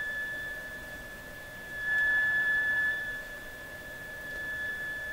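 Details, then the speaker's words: Mohawk Serenader farm radio with the signal generator connected at low level, tuned near 1 MHz; thin, steady high whistle over faint hiss, swelling briefly as the dial moves; the set oscillates and squeals; oscillation squeal. "Another squealer! Another squealer! Oh my gosh, I've got a radio I worked on a couple of months ago, still waiting to come back in the shop here, that this was what it did. It squealed."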